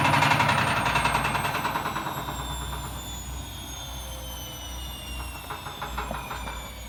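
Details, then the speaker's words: Bosch washing machine in spin: fast, regular metallic banging about four knocks a second, fading as the drum slows, from a broken drum spider letting the drum flap. "so that noise that you can hear is the spider rattling so it's the drum flapping away when it's compared to the spider inside"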